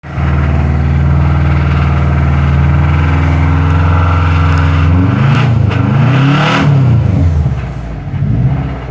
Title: Ej255 rod knock 2012 wrx